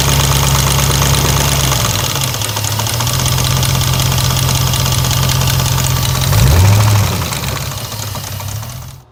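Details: 2002 Jeep Grand Cherokee 4.7L HO V8 with timing slack: sharp steady knock about four per second over the idle, following engine speed; oil pan removal found a shot rear main bearing and multiple crank rod bearings with slop; rod knock.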